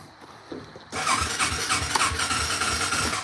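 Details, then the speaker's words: ATV with aftermarket carburetor, retuned, and new choke cable, cold start with throttle and no choke: a few weak cranking puffs, then catches and runs rough and uneven, struggling to hold; very cold-natured, fuel valve turned out to be off. "Okay, maybe it is choke. Well, she is very cold-natured."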